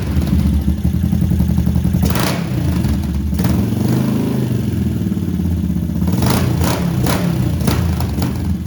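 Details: Yamaha SR500 single-cylinder first start after fixing carburetor problems, wet air filter removed, undamped Akrapovic muffler: loud, fast thump running steadily with throttle blips, even firing, no misses once flooding stops; normal.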